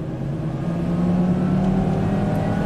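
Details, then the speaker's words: Volvo S60 Turbo on a test drive under load, after earlier violent shaking, power loss and a suspected cylinder-one misfire with reduced compression: engine pulls hard with a steady climbing drone and faint turbo whir building; boost comes in normally. "got boost amazing it has just got that little turbo sound"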